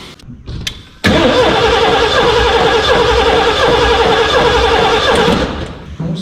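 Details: 1989 Ford F250 starting after new fuel tank and battery, initially cranking rough; engine fires up quickly and holds a steady, even idle with no stumble or knock.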